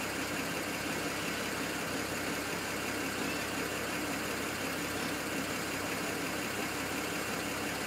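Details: N54 engine misfiring at idle, logged with an IPNA video log: the idle runs uneven and lumpy with an irregular stumble and skipped exhaust pulses.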